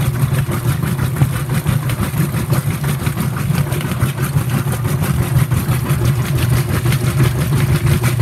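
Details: Whirlpool WTW5300SQ0 top-load washer after a new timer was fitted, warm water, normal regular cycle, high agitation: deep churning pulses about three a second with water sloshing, no grinding or knocking, normal agitation.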